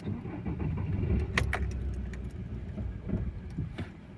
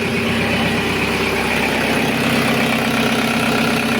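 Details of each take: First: Audi A6 2.0 TDI towed in, long-sat, fuel pump primed several times: diesel catches with a lumpy rough rumble and stalls within seconds; black fuel in filter; engine starts then stalls. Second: Audi A6 2.0 TDI, around 2005, that previously started then stalled, with black fuel: after tandem pump replacement and finding a broken EGR valve flap, steady diesel idle with even clatter, no hunting or stumbling; engine runs and holds idle.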